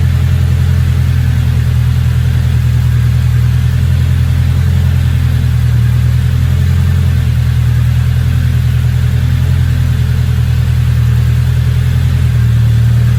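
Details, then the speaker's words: Turbocharged engine, new downpipe fitted and vacuum lines fixed: deep steady even idle, no hunting, turbo not spooling; idle now good, no check engine light, good oil pressure, cams possibly slightly out. "Yeah, it's idling a lot better now. Turbo's not even spooling."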